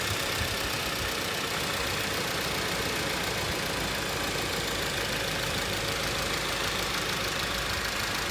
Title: Tiguan Allspace 2018 fuel rail rattling noise